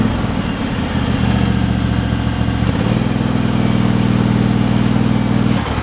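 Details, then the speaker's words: Craftsman Pro mower single-cylinder engine after a new carburetor fixed surging: steady putter with no hunting or surging, one smooth step up in pace; idling normally. "it sounds like it's running pretty smooth where it's at so all right it's not surging well we'll find out here"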